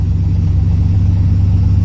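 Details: 1981 Pontiac Trans Am 301 turbo 4.9 L V8 with new FiTech EFI: deep even rumble holding steady without stumbling or bogging; engine pulls cleanly and sounds healthy.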